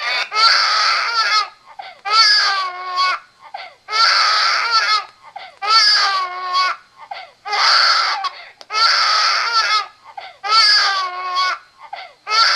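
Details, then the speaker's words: RealCare Baby Think It Over G6 infant simulator doll, loud wailing bursts about every two seconds after the head was let go back too far, typically stopping after four to five minutes; head-support violation cry. "okay eventually the doll will stop crying it usually takes about four or five minutes sometimes a little longer sometimes a little less for the doll to stop crying after you let his head go back too far"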